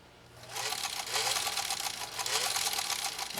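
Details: Singer 66-16 sewing machine after restoration, sewing three layers of heavy gray denim: fast, even stitching clatter that stays steady, no binding, thumps or grinding; normal healthy running.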